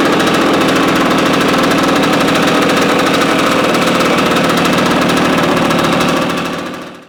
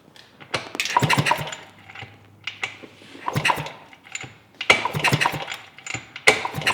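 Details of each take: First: 1971 Yamaha AT-1 125cc two-stroke, not run in over a year, first start on choke with a rigged battery: rapid, crackly firing about four pops a second, running steadily before cutting off; engine runs fine. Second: 1971 Yamaha AT-1 dirt bike that had not run in over a year, kick-started repeatedly during a spark check. Cranking bursts with no firing at all; no spark because the ignition switch was wired backwards after the key went missing.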